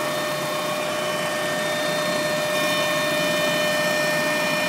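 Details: Mk1 Golf Cabriolet Clipper, noise seemingly from rear of engine bay: steady high whine with several even tones over a quiet engine at constant speed; source not yet identified.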